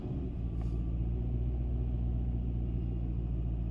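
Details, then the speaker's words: 2011 Nissan Rogue after replacing spark plugs and coil packs for misfires and a P0300 code: idle slightly high while the computer relearns but steady and smooth, with no stumbles, vibration or codes. "so the idle is high because the computers relearning but it's nice and smooth and there's no engine spiers while driving or vibration and no codes"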